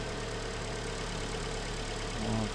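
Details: 2012 Hyundai ix35, G4KD engine, front-wheel drive, ~134,000 km, after engine rebuild for knocking and scoring (oil cooling jets added), flushing oil in, warming up: steady, even idle hum with smooth low throb, no knocking or ticking; no extra noises or leaks.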